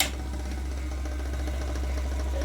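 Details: Usha mixer grinder, 230 V AC 750 W, before repair: steady low motor hum with a faint rapid knocking rattle inside as speed varies; motor knocking from worn shaft bushes.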